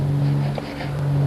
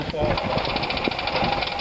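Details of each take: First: Zeta car being started after ten years in storage, gravity-feed fuel tank: sluggish, steady starter drone with a slight waver, engine turns over slowly without catching; slow cranking, low cranking power suspected. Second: Zeta car started after ten years in storage with only a battery and fuel added: it catches and runs with quick throttle blips, then settles into a steady, even idle; normal running.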